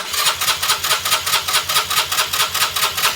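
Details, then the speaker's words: 2020 Keeway RKS 125 fuel-injected motorcycle, won't start: even starter cranking about 2.5 strokes per second that never fires; spark present, fuel pump heard. "it won't start so what we're going to do is figure out why"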